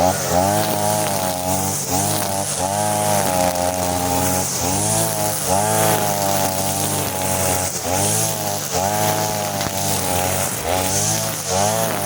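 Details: Side-mounted brush cutter running the leaner blade setting of the carburettor mixture screw but fitted with nylon line, cutting short grass: high buzzy two-stroke rises and sags in short surges under load, never pulling hard; it cuts but lacks power.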